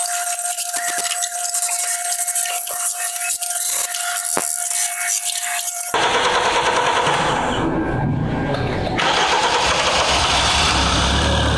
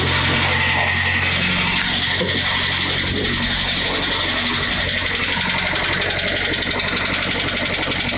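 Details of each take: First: Kia Sportage G4KD engine, 97,000 km, after overhaul for cold knocking from scored cylinders (worst in cylinder three): after a thin tonal opening the petrol engine starts and settles into a steady, even idle. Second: Kia Sportage with G4KD petrol engine, 97,000 km, cold start: steady hollow knock about four beats a second at idle, piston knock from scored cylinder walls found by endoscopy, likely from repeated overheating.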